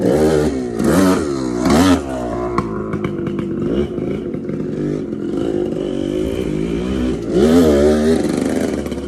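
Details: TC125 two-stroke dirt bike ridden on a cold day after a carb clean and a new fuel line with filter: revs rise and fall cleanly through throttle blips, no misfire or rattle; pulls strongly, normal running.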